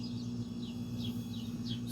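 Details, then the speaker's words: Roadside-found fridge, left on its side then stood upright over 2 days, overload relay, relay and capacitor swapped; earlier it cut out after 30–60 seconds, now 4 minutes in: quiet steady low hum; compressor running normally. "and that sounds like it's compressing I'll check the freezer section in a bit see if it's cold"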